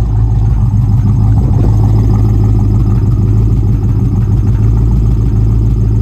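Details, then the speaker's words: 1995 Ford Mustang GT V8 near 135,000 miles idling with hood open; uneven, stumbling beat under steady low rumble, one cylinder seems to drop out. Began misfiring after 300 trouble-free miles; plug gaps checked fine, cause not yet found: misfire at idle. "I don't know if you can hear it but it's definitely missing there or something"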